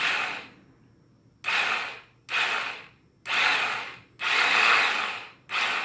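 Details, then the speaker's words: 1993 Kawasaki Ninja EX500, unstarted for about three years, starter fed by jumping the battery: repeated strong whirring crank bursts about a second each, spinning freely and evenly; starter motor fine, owner concludes the relay is bad; normal starter cranking. "okay so it's not the starter it's this the relay it's bad"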